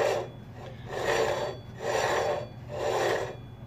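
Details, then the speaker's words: Bowflex Max M5 grinding noise, heard on the right side from behind the machine: a dry rasping scrape swelling and fading about once a second as the flywheel disc rubs the frame holding the resistance magnets, which is held by a tiny screw. "here is the problem this little part here magnets that control the resistance if you look quite closely you can see where the disc is actually touching the frame that holds the magnets"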